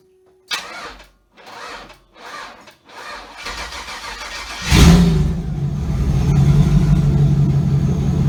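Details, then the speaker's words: Chevy Avalanche with 6.0L LQ4 swap, started a few times after starter/alternator wiring fixed, muffler not fitted and exhaust pipe hanging open: a few short cranks, then fires, revs and settles into a steady deep loud idle, no miss or knock; normal start. "I'm gonna go ahead and start it up for you guys real quick and let you hear what it sounds like and keep in mind that my muffler is still not actually you know on there at all"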